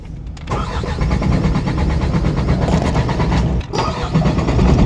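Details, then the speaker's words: Diesel truck with a cranking no-start, after replacing the faulty shut-off valve: a brief crank, it catches within half a second, then settles into a firm, even diesel idle with no stumbling; it starts and runs normally. "natin So Ayan po mga paps Ayan po umandar po siya ayan"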